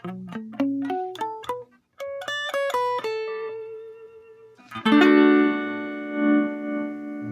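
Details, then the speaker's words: Pignose G40V all-tube amp with a 10-inch speaker, after its scratchy pots were cleaned: guitar rings clean with no crackle or dropouts, and the volume knobs respond properly even at low settings. "yeah. It's much cleaner, much cleaner."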